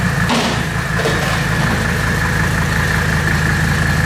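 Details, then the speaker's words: 1984 Mercedes W123 300D turbo diesel that had been sitting, at idle: even, steady diesel clatter with a faint steady whistle above it, no misses or knocks. Owner calls it the best-running old car he has had. "You guys have not heard this puppy run. This is probably the best running old car I've ever had."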